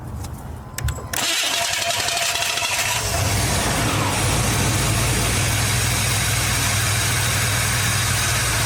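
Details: Vehicle with a newly installed, freshly charged Odyssey AGM2 battery: a brief crank catches within a second into a steady idle, with charging voltage reaching about 14–14.3 V. Normal start.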